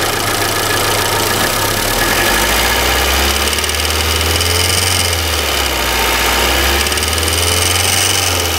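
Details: Engine idling with apparent oil leak from crankshaft seal: light quick ticking over loud workshop background, mechanic suspects cylinder head top end, not confirmed; engine tapping noise at idle.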